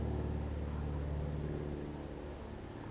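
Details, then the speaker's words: Briggs & Stratton Classic push-mower engine on a Murray deck, after throttle spring fix: small single-cylinder engine runs with a steady low thrum that fades slightly as it settles; normal running. "uh so it runs so let's uh turn it on the side"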